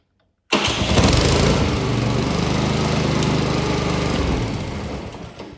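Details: Electric-start Honda lawn mower with a weak, low-charge battery, jump-started with a jump pack: the engine catches almost instantly and settles into a steady, even run, a normal healthy start.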